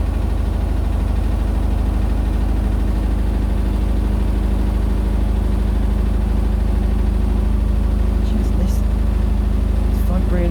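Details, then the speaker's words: Indesit BWE101683 washing machine on an extra spin after a 1000 rpm push-and-wash: a heavy low rumble with rhythmic pounding around three thuds a second as the drum rocks the machine. Unbalanced spin, blamed on an uneven floor under the machine. "right now and it's shaking again the washing machine shaking and it sounds like a train again sounds like a train again oh that is a really crazy water look"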